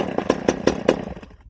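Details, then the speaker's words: Stihl 011AV chainsaw, non-running and just fuelled, starting on high idle: about five sharp pops in under a second, then fades out; catches briefly but won't keep running, probably too rich from gas dumped in. "Okay, there it's trying. It's probably really rich where I dumped that gas in there."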